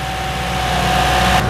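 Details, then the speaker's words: Toyota Innova at idle with AC on, after compressor replacement and freon refill: steady, even hum; the former clicking and squealing from the compressor is gone and the compressor sounds healthy. "bunyi kompresor telah hilang ya karena ini kompresional telah baru tidak ada lagi bunyi cetak cetek dan bunyi cicitnya"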